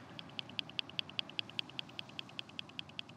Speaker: hear the clicking sound? So this is a sign that this analyzer can analyze helium mixes. Because the helium mix is analyzed acoustically, it reads the speed of sound, and we know the speed of sound is depending on the density of the gas.